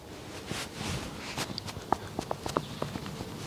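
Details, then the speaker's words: Audi allroad driver's-side upper control arm ball joint, with a torn rubber boot, play and creaking, rocked by hand. Irregular dull clicks and creaks, one or two a second: a worn ball joint, prompting replacement of the suspension bushes. "you hear that playing that ball joint so that's essentially why i ended up doing all these bushes"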